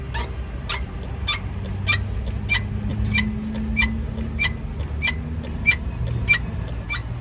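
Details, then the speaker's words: Chevrolet S10 parked with the body rocked gives sharp, high chirping squeaks about one and a half times a second; worn shock absorbers and mounts suspected, with replacement planned. "Pois é rapaziada tá fazendo a [ __ ] desse barulho tá horrível parece um carro velho mano parecendo um carro velho"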